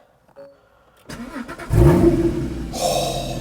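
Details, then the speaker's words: Rebuilt crashed Porsche Cayman GT4 flat-six with new Immico exhaust, started after an earlier cut-out thought to be low fuel, refuelled with V-Power: starter turns briefly, catches cleanly, settles into a strong, steady high idle, no knocks or misses; sounds epic. "oh that noise so much better with an exhaust it sounds epic"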